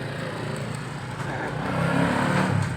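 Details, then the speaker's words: Yamaha Mio scooter after a severe failure with the crankshaft bolt loose, connecting rod replaced with a non-original part, bearings not replaced to save cost: smooth low drone rising slightly, no knocks or rattles; normal running. "oke Mas Bro, jadi pastinya sudah sembuh. Karena ini tidak orisinil, mungkin kualitasnya beda."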